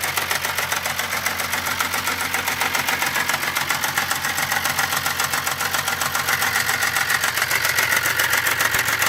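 Fast light ticking, about 220 a minute and very regular, over a smooth idle; ticking from the top end of the engine.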